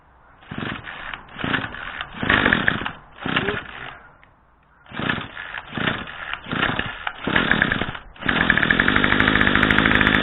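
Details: MTD-built Craftsman curved-shaft string trimmer, 25cc two-stroke, after a new Walbro carburetor (753-06190) and mounting gasket. Primed ten times on full choke, it fires in short revving bursts, then clears to a steady high buzz. Runs properly.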